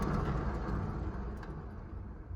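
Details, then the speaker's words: Honda Accent front wheel spun by hand: a deep, rough, rumbly growl from a worn wheel bearing that gets very loud above 40 and louder with speed while driving; the bearing needs pressing out of the hub and replacing. "This car, anything over 40, it gets very, very loud. If you go like 70 in this car, this wheel bearing is cranking. That is just a horrible sound. So that's really the easiest way to tell, guys. I hope you guys can hear that. It's like a deep, rumbly sound."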